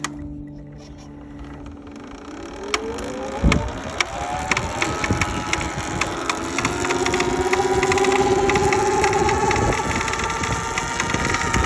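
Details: SurRon electric bike: rising motor whine with a steady fast clicking, about four a second, running over it; the persistent clicking's cause is unknown.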